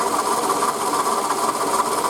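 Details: Toyota Camry 40 2008, 2AZ-FE 2.4 L, 176,000 km, original water pump, idle: fast even sewing-machine-like ticking knock following engine speed; worn water pump bearing, confirmed and fixed by replacing pump, belt and coolant.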